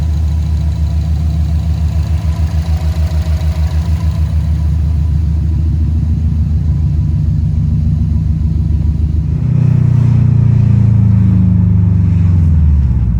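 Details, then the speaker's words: 2008 Subaru Impreza STI hatchback, modified, after repair of an engine that had spun a rod bearing; previous check engine lights now cleared. Normal idle: smooth, even, low, with no knock or tick, then a clean rev blip that settles back. Sounds healthy. "so this sounds very very healthy man so very excited on how this all turned"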